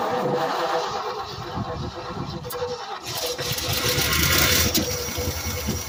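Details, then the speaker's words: Late-1960s/1970-ish Ford F-600 fuel tanker truck that sat 25 years, started with just a new battery: it catches and runs ragged, surging then fading, and stalls because it is out of gas (fuel starvation). "thank you it ain't got no gas in it you see there Scooter things are the simplest things first"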